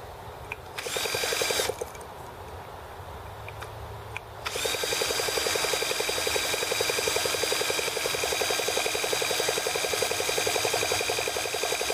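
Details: T26 model engine at 3°F (-13°C), after a valve job and rocker-arm and carb adjustments: the drill whirs steadily at about four turns a second, spinning it without firing. Cold no-start; owner suspects the carb freezing or flooding.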